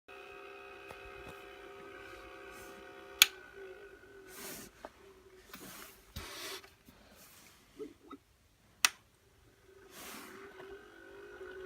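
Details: Beurer LB44 room humidifier running with a loud, steady buzzing and grinding hum with a high, slightly rough edge.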